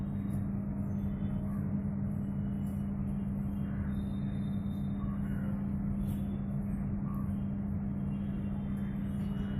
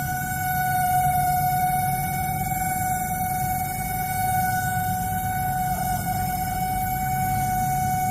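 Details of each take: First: LG MS1911HE microwave oven fan motor after greasing and oiling: smooth even low hum with no groaning or rattle; previously loud noise now gone, normal running. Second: LG MS1911HE microwave oven fan motor running on the timer; a loud steady hum with a high pure tone, unchanging; the noise stopped after the motor was greased and oiled: fan motor noise from dry bearings.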